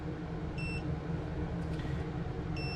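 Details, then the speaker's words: ViFly Finder Mini lost-model buzzer on a quad after power is unplugged: two short high chirps about two seconds apart over a low rumble, the quiet first-stage beep that lasts about 40 seconds before switching to max volume. "oh god it just changed you hear that so that's now into the second stage into this stage here"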